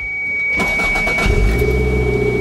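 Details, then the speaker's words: Toyota MR2 Turbo, first start after installing a Link G4X plug-and-play ECU. A short crank under the open-door chime follows fuel pump priming, then the engine catches quickly and settles to a steady idle, later described as rough. "it's started pretty good let's go check the run time values"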